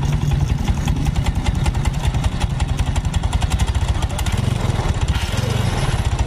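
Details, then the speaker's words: Yamaha Mio Soul automatic scooter that won't move and has been noisy, idling with the CVT cover closed: loud, uneven, coarse lumpy thump with no belt whir; owner suspects cylinder block, head or connecting rod trouble. "Ya tapi ini juga ada bermasalah di bagian mesin tengah dan bagian depannya karena suara mesinnya terlihat Terdengar agak kasar"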